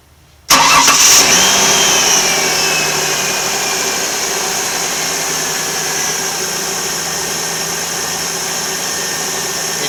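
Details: 2000 Ford Windstar with 215,000 miles, after a fix for severe idle vibration, tested with a glass of water on the engine: it catches at once and settles into an even, steady idle with no shake or knock.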